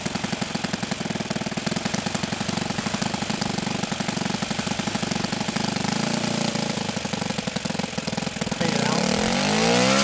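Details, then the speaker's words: OS FS-91 Surpass four-stroke nitro RC engine at idle: lumpy burbling idle with a steady rpm decline and lots of smoke; low-end mixture still a little rich, needing another adjustment. "hey lots of smoke steady decline of rpm is still a little bit rich on the low end so we'll fire back up and make another adjustment"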